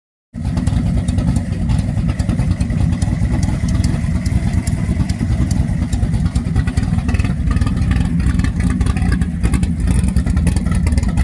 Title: Stupid exhaust leaks